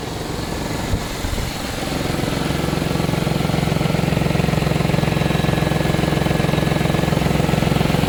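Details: Audi A6 C5 2.7 biturbo at steady idle with a fast, even rattling tick, roughly 220 a minute, over the engine; rattle of unknown cause, owner asking what it is.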